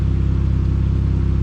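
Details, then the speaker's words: Pontiac Sunfire after alternator replacement, the old one having growled: smooth, even idle with a steady quick pulse and no knocks, squeals or misses; healthy. "she's uh she's a happy little bird telling you you know nice yeah she's a lot more gooder"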